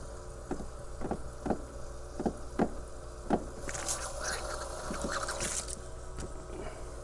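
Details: Heater circulation pump air-locked, fitting loosened to bleed: regular ticking pulses about every half second, then spitting, hissing water as trapped air is pushed out; may need repeating until primed.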